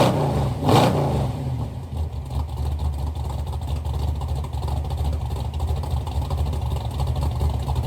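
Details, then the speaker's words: Chevy Nova V8 with rebuilt twin carburetors, heard from towards the back of the car; after an opening blip a deep lumpy burble settles to a steady idle with even thump, more compression than the assumed 10:1, no misses or knocks. "this car sounds really good running it sounds it sounds like I was I was assuming this probably was like a 10 to one motor but it she's got some thump to it some compression"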